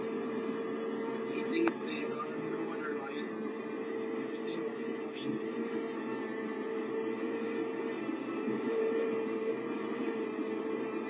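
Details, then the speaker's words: Steady, mid-pitched metallic whine over the burner roar from a Sta-Rite pool/spa heater with 65°F inlet water; cold water makes the heat exchanger and its outer jacket vibrate metal against metal. "all right so anyway his exch heat exchanger is vibrating due to water being cold"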